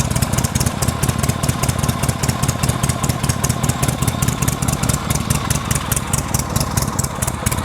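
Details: V-twin, kick-started after return spring tension fixed: loud, lumpy idle with about two to three firing pulses a second, steady and even while warming; running healthy.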